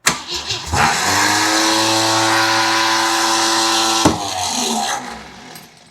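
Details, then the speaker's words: Jeep CJ7, long-dormant project, no fuel in the tank, oil pressure building: engine catches a few seconds with an uneven, stumbling beat then dies; misfire from crossed spark plug wires. "What a piece of junk. Ah, [sighs] why are you not firing now?"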